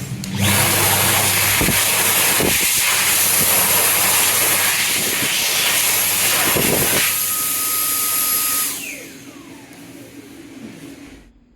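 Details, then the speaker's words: Dyson 9kJ hand dryer as it is supposed to sound: loud, steady high-pitched air rush holding even for about eight seconds, then winding down; normal healthy run. "firstly here is what the Dyson 9kj is supposed to sound like"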